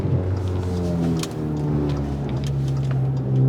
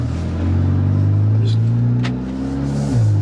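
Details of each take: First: Audi A3 with Stage 2 tune and CTS downpipe, after reattaching the disconnected midpipe and tightening loose clamps: revs rise and fall smoothly with no low drone. It is still raspy between 3,000 and 4,000 rpm, with some pops. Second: Audi A3 Stage 2 tune with CTS downpipe, very cold day, driving steadily: heavy low booming drone swelling with throttle, floor vibration; loose clamps left midpipe completely disconnected, leaking exhaust mid-car.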